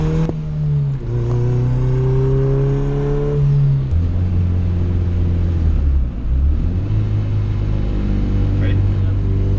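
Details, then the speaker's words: Turbo B20V EK with S300 turbo, under higher boost: it pulls hard, then stutters and breaks up in a misfire. Spark plug gap or turning the boost down are being considered; the cause is unconfirmed. "I forgot about that you hear it break up hopefully you guys can hear that on camera but she started stuttering a little bit"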